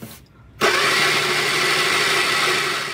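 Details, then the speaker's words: Replica Bonneville Austin-Healey Sprite with a Shorrock supercharger, never run before, cranked with the fuel pump hose to the filter regulator disconnected: the starter whirs steadily and the engine never fires. No fuel is delivered, and the pump is suspected not running. "nothing's coming out as of yet and i had to put fuel down this hose so i don't think that the fuel pump is running"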